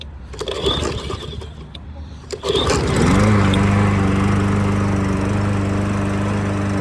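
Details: Troy-Bilt lawn mower, cold start right after fitting a cheap Amazon carburetor; before, it ran poorly once warm with the choke off. A few rough pulls, then it catches and settles into a steady, even beat with no stumbling; runs clean.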